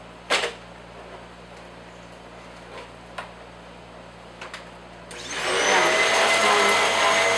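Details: Bissell upright pet vacuum after full cleaning and rinsed foam filter, reassembled; handling taps, then spins up into a steady even high whoosh, no rattle or labouring, running normally.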